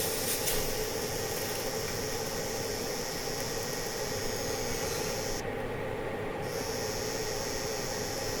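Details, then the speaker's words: Camping stove cooking in the back of a truck-shell camper on a cold winter night, giving a steady airy hiss with no pulsing; the owner says it never made that noise before and wonders if it's the cold or rough transport. "I don't know why it's making that noise. It's cold or what? Maybe it got beat around a little bit too much. It's never made that noise before."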